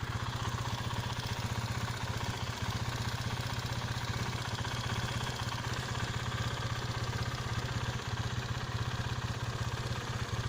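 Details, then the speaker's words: Used motorcycle at idle: fairly smooth with a faint light tick suspected from the cam chain tensioner, fading after a few seconds; not considered a problem. "sini suaranya cukup halus meskipun ada sedikit ngelitik saya tips untuk di bagian tensionernya tapi setelah beberapa detik suara Ngetiknya menghilang cukup halus suara ngelitik tidak terlalu masalah"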